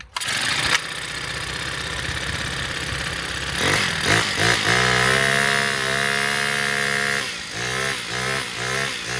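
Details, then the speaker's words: Honda four-stroke weed eater that wouldn't start, after carbon buildup on the spark plug gap was cleaned off with sandpaper: it catches after a short pull, then holds a steady idle with clean throttle blips and runs smoothly. "guys wow as you can see she start up right away so the problem was just little carbon build up on top of the spark plug"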